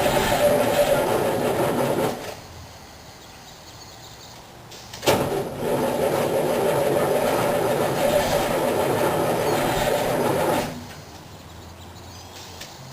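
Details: 1987 Wanderlodge PT40 bus, 8V92TA Detroit two-stroke diesel, cold start after about five months sitting, prime lost, minor battery problem, mic outside: slow to start then loud, steady running between throttle blips, no knocks or misses; normal.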